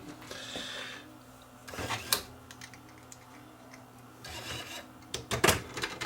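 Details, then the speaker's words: Roadside-found Pioneer CLD-D502 laserdisc player, just reassembled with the front cover on and the button pressed to open the door: short bursts of motor whir and mechanical clicks separated by gaps, trying to work but never settling into play. "sounds like it's trying to do something"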